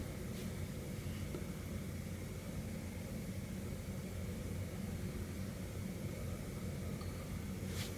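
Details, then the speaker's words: Mid-2010 MacBook, booting after an upgrade to 12 GB RAM: steady, even fan whoosh with no ticking or grinding; the fans are running hard but sound healthy and the machine now works. "And if you can hear over the fans, yes, this is now working, and we have 12 gigs of RAM installed in here."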